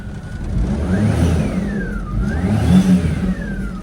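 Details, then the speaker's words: Kei car at a Japanese auction, grade 3.5C, 221,000 km: clean free revs climbing and falling smoothly with even firing and no knock or rattle; the small petrol engine sounds pretty healthy. "Actually sounds pretty healthy."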